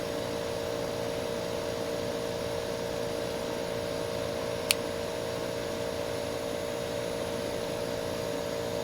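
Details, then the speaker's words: Air conditioner that earlier gave white smoke on first run, now repaired and running on a quiet night: smooth steady hum with even fan whoosh, no knocks or rattles; normal running. "Listen to that AE on a quiet night. That sounds beautiful. I could listen to this all night."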